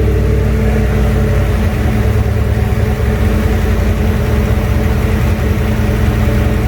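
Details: Junkyard 351W turbo V8 in a 1967 Mustang, first fire-up, exhaust exiting off the fender; loud low rumble running steadily with slightly uneven idle burble and a touch of rev, rough untuned running, needs a tune.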